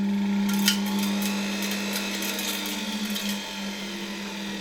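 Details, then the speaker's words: Probably early-1960s Czechoslovak Tiger 808 vacuum cleaner (type V 401, Elektro Praga Hlinsko/ETA) started on a voltage regulator at much reduced voltage: clean start into a steady, even hum with a smooth high whir, no rubbing or rattle; motor runs quietly and sound. "Great, it started very nicely. Let's turn it off for a moment."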